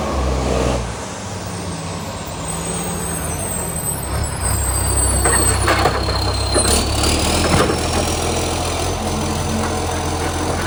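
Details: Canada Bay garbage truck SL780, diesel, Euro 3 style Euro 5 facelift, exhaust pipe leak (later fixed): loud raspy idle swelling when revved, with air brake hiss; exhaust leak.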